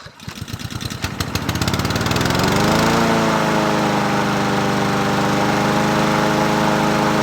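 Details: Husqvarna 7021P push mower with Honda GCV160 engine, unused two years, original carburetor cleaned, restarted: pull start catches, revs climb smoothly over two seconds, then a steady even run with no misses or knocks; normal start and idle.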